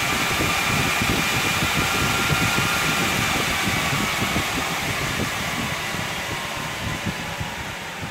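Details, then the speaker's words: NetApp DS4246 disk shelf with two PSUs powered on empty, no drives installed. Jet-like fan roar at start-up settles lower over several seconds toward about 36 W idle: normal fan spin-up. "it's very brief when it fires up and there you can hear it's quietening down now and it does even get quieter than that when it's empty"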